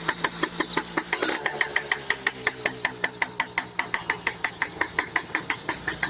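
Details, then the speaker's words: Restored, rebuilt Yamaha F1ZR two-stroke with standard CDI, pulser and magnet: sharp, uneven pops about three a second over a rough, stumbling idle. The mechanic judges the ignition timing too far advanced. "nembak-nembak di sini adalah dia itu kayak pengapiannya terlalu kedepan akhirnya si mesin itu larinya ke belakang"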